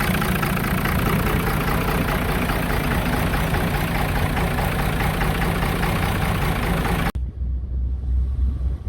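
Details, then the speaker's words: 5.9 L 24-valve Cummins with VP44 injection pump, after draining water-contaminated fuel, computer bypassed and pump hot-wired: steady, even low diesel chug at idle, no stumbling or knocks. "Well, we got her fired up, boys. Had to bypass the computer. Hot wired the injector pump down in there, but she's chugging."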